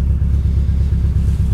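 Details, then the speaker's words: Rough-running engine at salvage auction walk-around: deep uneven idle that throbs and stumbles several times a second, misfiring and slightly backfiring, with warning lights flashing; cause unknown. "well that didn't run well and you sound like it backfired a little bit yeah she doesn't sound good"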